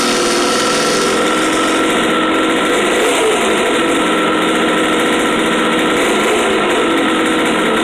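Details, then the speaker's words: 1973 Kawasaki S2A 350cc two-stroke triple after carburettor work: starts on one kick, buzzy ringing idle fairly steady with small wavers; runs mostly okay, not yet road-tested. "well that certainly worked better than i was expecting one kick fired up and it seems to run mostly okay not terrible"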